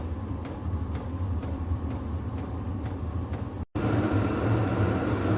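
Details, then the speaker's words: VEVOR 8 kW diesel air heater starting up after pump priming: steady low roar with fan whooshing and faint regular fuel pump ticks as glow plug and pump pulse, even and unbroken; burner firing and running properly. "so yeah she's firing up you can hear the fan pumping the heat through the burn is roaring"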